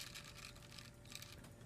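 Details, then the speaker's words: Small F2-RC Guardian Alliance waterproof quadcopter motor, turned by hand: faint, dry scratchy grinding in uneven bursts as the rough motor spins the prop unevenly, not smoothly; motors resemble smaller Tarantula motors. "so the props they don't spin smoothly you hear that grinding"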